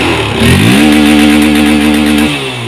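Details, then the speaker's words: Honda CB150R first-generation (bulb lamp) engine before ECU remap, revved freely. It climbs quickly to a steady high buzz, holds flat at the stock limiter of about 9,000+ rpm, then drops back cleanly. "Ini udah agak blur ya, ini berhentinya di 9.000, kurang lebih di 9.000 sekian tadi di sini berhentinya."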